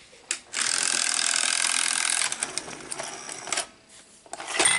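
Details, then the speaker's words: Sony SLO-420 Betamax VCR (Dolby linear stereo) at plug-in: two-second whirring motor run with a few clunks as it ejects by itself instead of going to standby; counter dead, cassette won't load. "Now, if this thing was working properly, when you plug it in, it would not eject. It would actually go into standby. But it's not even going to go into standby. So when we plug it in, it's going to eject."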